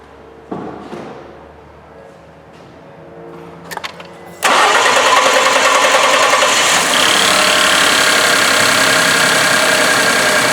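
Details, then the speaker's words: Ford 3.5L EcoBoost truck after high-pressure fuel pump replacement for P0087/P053F and loss of power: clicks, then long delayed crank from air in the fuel system, then catches into even idle, same as before. "and you could hear the delayed cranking there that of course was due to there being air in the system but that basically sounded about like it sounded before"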